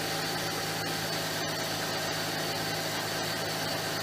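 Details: Mercedes C32 AMG after idler pulley and bearing replacement and a second oil change: quiet, steady idle with an even low hum and no knocks, ticks or squeals. The engine sounds healthy.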